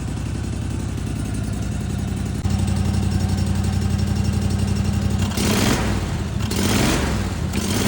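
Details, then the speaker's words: Snapper zero-turn mower with quick basic rewiring that bypasses faulty safety switches, running without an air filter: an even, steady beat at idle with clean throttle blips. The owner says it may run low or hunt. "It may run a little low. It may hunt a little bit because I ain't got an air filter on it, the airflow, with it getting that much air. But she's purring like a"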